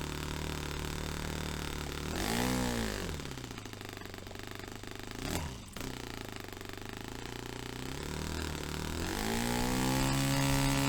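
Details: Restored Saito FA-45 Special glow engine on a test stand, 10% nitro fuel, on a fairly rich tune. It picks up smoothly from idle to a high buzzing rev, then falters and dies when pushed to full throttle. Owner wonders if it is too rich, with fuel building up.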